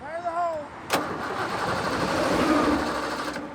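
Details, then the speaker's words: Abandoned Ford Mustang GT that died on the roadside, ignition coil already replaced: starter turns the engine over steadily about three and a half beats a second but never catches; no start. "no it would have started by now oh you got to be kidding me all right so the coil didn't fix it so we're gonna go after the tfi module"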